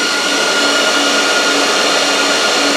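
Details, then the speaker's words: Dell PowerEdge R730 server, fans stuck running flat out like a jet plane: a loud, steady high-pitched roar with a constant whine and no variation. Fix is setting the fan speed to minimum in the iDRAC fan setup. "so it was like a half 50 before it was so loud so it doesn't need that it only needs to be running high when it's overheating"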